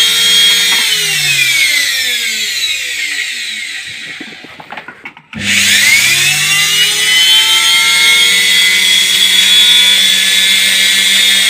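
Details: Indesit washing machine motor after lubrication and reassembly, on test: even high whine dips as power drops, then climbs smoothly back to a steady pitch, no grinding; normal run.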